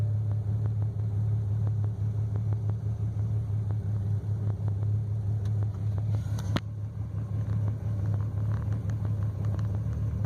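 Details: BMW 335i with new spark plugs and coils and remanufactured fuel injectors, just after a cold start: low, uneven idle rumble with irregular stumbles and faint ticks; misfire on startup, cylinder 5, sometimes cylinder 2.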